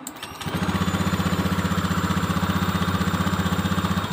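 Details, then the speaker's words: Honda Beat ESP injection scooter that won't hold idle after releasing the throttle: it starts high, then settles into a slow, lumpy putt of about four beats a second, too low. The idle adjuster gives no response, pointing to the idle air control valve. "pertama mau tinggi tapi kan begitu ideal ini kurang tinggi sebenarnya harusnya lebih tinggi dari ini"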